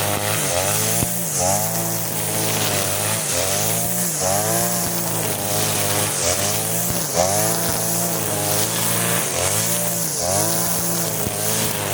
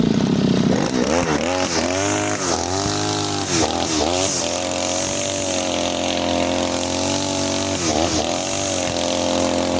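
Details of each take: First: Side-mount two-stroke brush cutter with its carburetor fuel screw (under the carb) turned half a turn for string-line use, cutting grass: crisp buzz dipping briefly as it bites and recovering cleanly, no bogging; normal running under load. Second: Side-mounted two-stroke brush cutter with nylon line, factory carburetor mixture screw too loose, as on new engines: short revs then burbly, blubbery high speed without a crisp scream; rich, fuel-hungry and weak under load.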